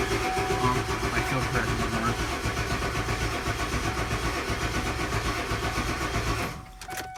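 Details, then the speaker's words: 7.3L Powerstroke diesel after injector O-ring replacement, in really cold conditions, with the oil and fuel systems empty: even starter cranking at about four compressions a second with no firing, then it stops, while the high-pressure oil system is primed. "it can take quite a while for all the air to get out of the system so what I'm gonna do is now just crank it and see if I can get it started"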